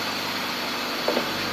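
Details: 2002 BMW 525i after replacing the failed ignition coils on cylinders 2 and 4 that caused misfires. Short burst of steady, even idle with no stumble or miss; runs smoothly on all cylinders.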